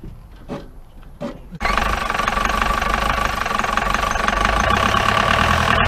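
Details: 1953 Mercedes 170D (W136) four-cylinder diesel, previously seized and revived, cranks briefly, catches, then settles into a lumpy uneven clatter about four beats a second; rough idle, heavy smoke, owner suspects worn injector nozzles, with low compression and timing also considered.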